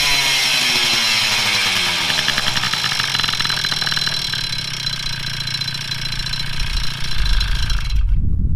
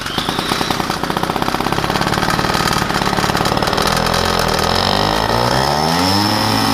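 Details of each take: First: Two-stroke moped after crank bearing replacement and rebuild with new tires, started after rebuild: buzzy note revving and settling with a steady, even beat, no more bearing hiss or rumble; runs healthy. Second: Two-stroke moped with Polini reed block, replaced intake, head gasket leaking and base gasket leaking (wrong base gasket used): rapid, slightly ragged buzz wavering in pitch, not settling; running fairly well despite air leaks.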